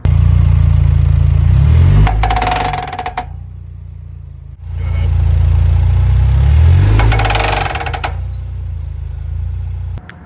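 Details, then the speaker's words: Ford Bronco with recently replaced front axle, after an off-road trail obstacle: engine revs in two bursts with harsh clattering and grinding from the front end under load; front axle failed. "Unfortunately, I don't have video of it happening, but I do have video of the front end making some absolutely terrible noises."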